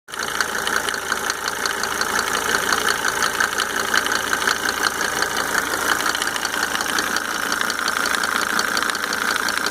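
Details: Mercedes 300D W124 2.5-litre diesel with five newly rebuilt injectors and Monark nozzles: steady idle with a light, even tick about once a second; source undetermined, possibly injector-related.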